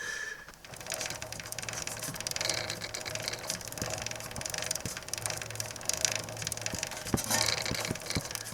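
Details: Norton 650 Unified Twin prototype with a nearly new chain, rear wheel turned by hand: faint irregular ticks and light scrapes are heard as the chain rivet heads brush the crankcase.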